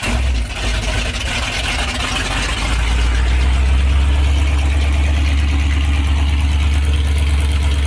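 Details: 1984 Ford Bronco, 351 Windsor 5.8L V8 after installing Hedman long-tube headers, no exhaust yet: deep loud rhythmic rumble settling into steady even idle after start; normal open-header idle, nothing wrong.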